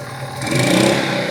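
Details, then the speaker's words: 2000-watt generator bought for $5, fitted with a new carburetor and started on full choke; it catches and revs up into a steady, even run with no misses or knocks. "Yeah! Oh yeah! It works!"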